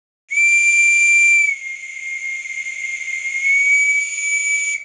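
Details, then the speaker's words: Very small China-made Microcosm model steam whistle on compressed air: a shrill, steady, very loud high-pitched whistle with airy hiss and a slight dip midway. Normal, clean tone. "very small very high pitched and very loud"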